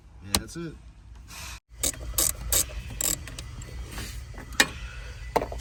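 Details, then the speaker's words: Truck A/C blend door actuator knocks and ratchets loudly behind the dash as the temperature is changed, like trying to kick out the dashboard; faulty actuator, confirmed before replacement. "i'm going to turn it on and mess with the temperature and it's going to be knocking like a [ __ ] trying to kick out the dashboard"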